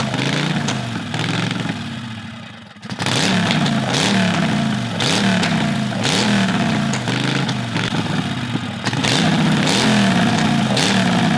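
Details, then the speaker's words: Predator 670cc V-twin dragster engine with ported heads, billet flywheel and rods, reworked carburetor: loud idle surging up and down in slow waves; intake bolted only snug, possible intake vacuum leak suspected. "there's a idle issue could be a vacuum leak from the intake how tight did you do the intake snug snug all right we might want to check for vacuum leaks"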